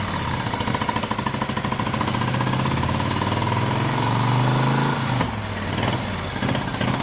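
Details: 1971 Moto Guzzi Ambassador V-twin, 4-speed, under full restoration with changed crank and new rings, first fire-up: smooth, even idle firing steadily with little mechanical rattle; motor sounds quiet and tight, normal idle.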